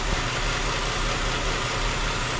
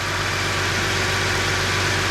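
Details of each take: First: 2008 Chrysler 300 2.7 V6 idling after water pump and timing chain job: steady airy hiss over slightly uneven rumble, intake manifold gasket vacuum leak causing cylinder 1 misfire; planned fix is new upper and lower intake gaskets. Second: 2008 Chrysler 300 with 2.7L V6, idling after water pump and timing chain job and intake manifold gasket repair for a cylinder 1 misfire (P0301); steady, even idle with smooth hum, no vacuum leak hiss or stumble. Normal idle.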